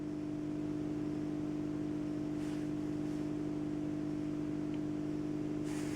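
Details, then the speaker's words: Bauknecht Stuttgart 1609 washing machine, about 18 years old, not working correctly: steady low hum with a constant tone from the pump behind the panel, no knocking or grinding. Owner suspects a worn or broken pump, unconfirmed. "good oh yeah i can hear the pump pump is behind this yeah so the question is is this pump really broken or not"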